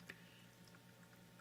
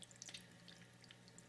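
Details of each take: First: AquaClear 30 hang-on-back aquarium filter after lubricating impeller shaft with silicone to stop rattling: steady low hum with only a faint occasional tick; normal quiet running, occasional rattle may need more lubricant. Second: AquaClear 30 hang-on-back aquarium filter with tank water lowered below the outflow: soft steady splashing trickle with faint drips over a low hum, a waterfall effect from the low water level.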